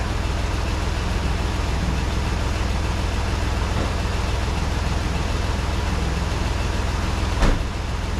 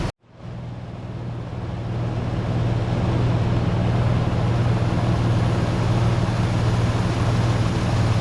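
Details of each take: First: 1988 Toyota FJ62 Land Cruiser, 290K, warm with temperature gauge just below middle (about 190°F), after timing check: steady, even drone a touch faster than a normal warm idle, no misfires or knocks; high idle speed. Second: 1988 Toyota FJ62 Land Cruiser, about 290K miles, idling after ignition timing adjusted by ear: steady, even low rumble, smooth firing, no misses, knocks or pinging; sounds pretty good.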